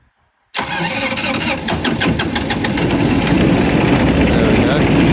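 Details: 2012 GreenMech Quad Chip wood chipper three-injector diesel, 1,500 hours, after bleeding injectors and using a jump pack: silence, then it catches at once and settles into a steady clattering idle that smooths slightly as it warms; running normally.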